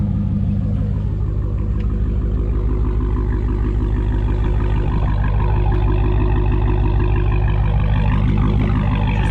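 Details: Dodge Challenger Hellcat with mid mufflers deleted, recorded from outside after an exhaust shop fixed a rattle/shake: deep smooth V8 burble rising slightly with a blip, no rattle or buzz; normal exhaust note after repair.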